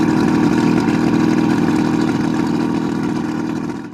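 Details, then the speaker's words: 1971 Marlin boat's Mercury 1350 two-stroke outboard, first start in over 20 years: steady even buzz with gentle rise and fall in revs, no misses or knocks; running healthy, normal running. "heck yeah it's gonna go man those things sound sweet"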